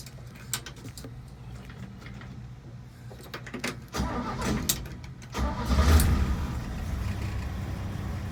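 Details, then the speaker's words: Chevy 230 inline-six after timing and carburetor adjustment, vacuum advance line reconnected: brief crank, catches at once and settles into a smooth, steady low idle at about 7 degrees before top dead center; normal start and idle. "Starts right up. And I'm seeing about 7 degrees before top dead center. I'm pretty happy with that."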